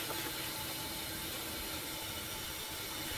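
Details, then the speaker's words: 2006 6.0 Powerstroke with hot no-start and long cold crank: IPR valve closed at 90% via scan tool and shop air fed into the high-pressure oil system. Air blows through the crankcase, hissing elsewhere. "you don't hear the hissing over here you just hear like like air blowing through the engine which is exactly what it's doing guys"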